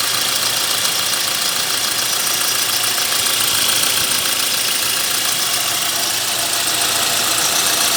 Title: Engine noise Swift petrol